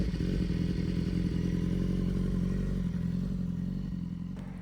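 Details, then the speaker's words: 2014 BMW S1000RR at idle: a steady low idle with a light, loose clatter ticking about three to four times a second; ordinary clutch rattle, which is heard at idle the whole time, especially with the stock exhaust can. "They also have quite noisy clutches, which you can hear on idle the whole time, especially if you've got a stock can, you can hear it basically the whole time."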